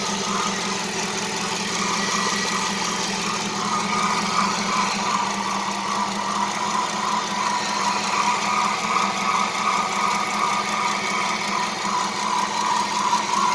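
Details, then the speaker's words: Dodge Charger R/T 5.7 Hemi at idle after replacing shredded serpentine belt and bad belt tensioner pulley; faint steady squeal/chirp from belt or pulley, owner suspects belt too tight or pulleys misaligned. "I don't like that that belt kind of sounds kind of one of the pulley sound kind of squeak you know I gotta make sure they're lined right"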